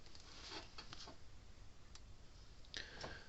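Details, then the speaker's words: 2018 Gallagher M120 fence charger with water damage, just plugged in: faint sharp clicks about once a second while it flashes, over 7000 volts output; pulsing normally, possibly nothing wrong. "well you can hear it flashing and clicking you see it flashing you hear it clicking might not be nothing wrong with it"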